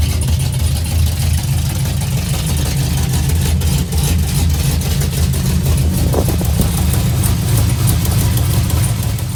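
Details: 2004 Chevy Silverado, stock 5.3L LS V8 with Engine Pro cam (218/227 duration, .526/.524 lift) and springs, cold first start after swap, accessories unhooked: deep loping choppy idle with a couple of light revs, strong steady running; fired right up despite weak battery, normal.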